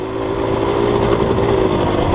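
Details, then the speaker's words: Off-road bike with a Rekluse auto-clutch in proper gear, blipped to lock up. Steady buzzy two-stroke note holds on overrun without dropping to idle: normal engine braking. "Recluse does engine brake. If your recluse does not engine brake, then you have your setup wrong."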